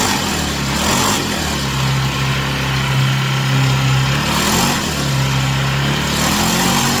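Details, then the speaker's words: Chinese Amazon mini bike small single-cylinder engine after first start, warming up on a table: steady burble, pitch rising smoothly with two brief throttle blips, settling evenly; healthy. "All right, so I'm going to let it run for a few minutes, let it get good and hot. I'm going to rev it up a little bit, and you guys can watch me do that."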